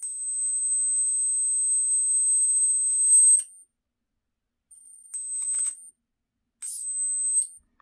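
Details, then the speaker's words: Flyback driver on 555 timer with MOSFETs, running from 11.1 V battery, output about 25-30 kV: high steady whine with crackly buzzing arc bursts stopping between runs; normal arcing, MOSFET still cold. "so that right there is about 25 maybe to 30 000 volts right there it's not bad the mosfet still cold no problems"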